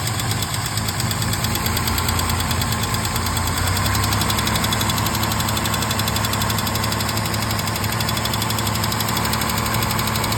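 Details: 1968 Mercedes-Benz 230 inline-six at steady idle after Zenith 35/40 INAT carburetor repair, first start in about a month: a light, fast ticking of about four per second rides on top. This is known lifter tick, present for 30+ years.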